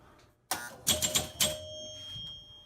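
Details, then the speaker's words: Gottlieb Sure Shot electromechanical pinball during troubleshooting, after closing a contact: quick run of sharp clicks and ringing chimes as the bullseye scores 500 and a target scores 4,000. Normal scoring operation. "hit the bullseye get 500 hit a three looks like i get 4 000 there and looks like it's scoring"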